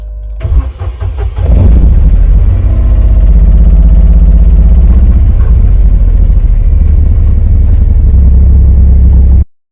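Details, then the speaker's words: Corsa B 1.0 16-valve gasoline that started then died: long steady cranking about four beats a second, engine never catches despite fuel pressure present; fuel pump relay found to be the faulty part, not the pump. "não pega mas tem pressão ó o problema essa pecinha aqui onde tava a bomba aí trabalhando na pressão certa"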